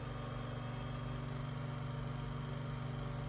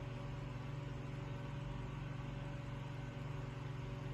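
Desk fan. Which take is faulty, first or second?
first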